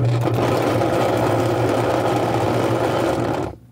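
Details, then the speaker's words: Washing machine with the drum plate held back under load: loud, rough, dense grinding then stop; excessively noisy worn gear case, to be replaced. "Ayan po sira. Ngayon, ang papalitan dyan ay yung gear case niya."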